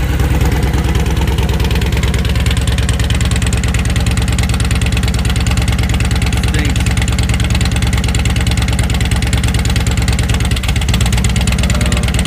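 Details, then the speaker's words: 2002 Yamaha Road Star Warrior XV1700, new battery, first start in about two years, airbox removed, aftermarket exhaust: steady lumpy V-twin beat about 140 pulses a minute with a brief stumble near the end, sounding close to stalling; rough idle, cause not confirmed. "thanks sounds pretty good it sound like he's going to die"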